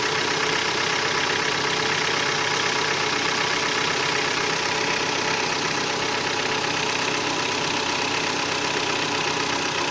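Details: Hyundai ix35 with G4KD engine at 66,000 km, after 12 hours parked outdoors: steady hollow knocking at about four per second over a fairly even idle. Piston knock from scoring in cylinders 2, 3 and 4.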